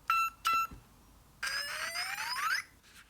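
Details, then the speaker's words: PD Racing Minitron 1/16 RC truck at switch-on: two clean high beeps, then a quick rising chirp and a click. The ESC's normal power-on beep sequence. "I'm saying nothing about this sound but there's certainly a manufacturer that their esc's do this when you switch them"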